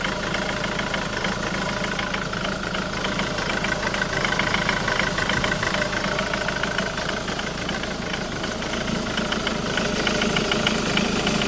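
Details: Jaguar X-Type 2.0 diesel idling with a fairly steady knocking/rattling around three times a second over the clatter, coming from the driver's side of the engine; cause unknown.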